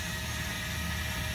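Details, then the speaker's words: 2022 Mesa Ridge S-Lite 262RL travel trailer, rear electric stabilizer jacks extending one at a time (normal; lift starts once both touch down): steady motor hum with faint even whine, no grinding or straining. "You can see it's going down one at a time. That's completely normal. Once that far one hits the ground, it's not going to pick up the unit at all."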